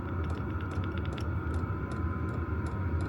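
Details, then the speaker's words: Vevor diesel heater, about a year old, on a Bluetti AC70 at level 2 of 10 drawing about 10–11 W: quick light clicks several per second over a steady fan hum. Normal fuel pump ticking. "you can hear the clicking um that's just the fuel intake just a fuel pump you just click click click click click click"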